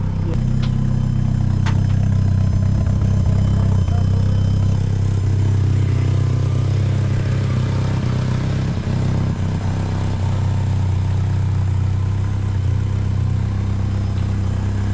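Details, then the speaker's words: Merkur project car with smart coils, after the ignition timing was locked at a 312° offset with dynamic ignition following the map: a low, even, smooth idle with no misses, sounding much happier. "All right, now give it a couple revs. Sounds much better. Sounds much happier."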